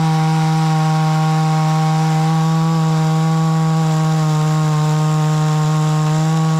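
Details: Hyundai 450 chainsaw cutting wood after carburetor diaphragm replacement, which had stalled while cutting: steady high even buzz held through the cut with no bogging or dropping revs; pulls well under load.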